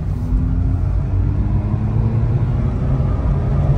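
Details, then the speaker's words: 2011 Mazda RX-8, 1.3 L naturally aspirated rotary after ECM replacement and clearing a flood; driving at wide-open throttle, deep even rumble climbing smoothly with no misfire; runs good, check engine light gone. "Full speed. Runs good. Nice and smooth-like. Rotary's doing rotary things."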